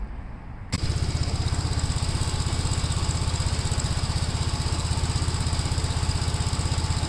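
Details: 1957 Gravely tractor during mowing test after air cleaner service; engine catches and settles into steady, even thump about four times a second under load, no misses or knocks; runs well.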